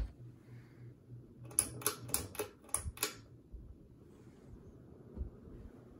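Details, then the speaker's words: 30-inch Westinghouse Wengue ceiling fan on low speed in a guest bedroom: a quick run of five or six sharp ticks over a low steady motor hum, then it quietens; intermittent ticking noise, source unknown and not heard from this fan before. "I don't remember it making that noise I don't know what it is"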